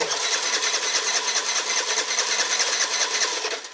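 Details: 2007 Piaggio MP3 scooter, ran when dropped off but no longer starts: starter spins the engine with steady rapid compression chugging, throttle pump checked, but it never fires; cranks but no start.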